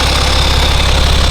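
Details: BMW N57 diesel after timing chain and main bearing replacement, idling to warm the gearbox toward 40 °C for a transmission oil level check: steady idle, even rapid clatter with a faint high whine, no irregular knocks; normal idle.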